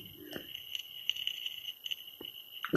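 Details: Plugged-in microwave giving irregular sharp crackles and snaps with buzzing over a faint whine, heard near the transformer and magnetron; owner suspects a dry joint in the circuit.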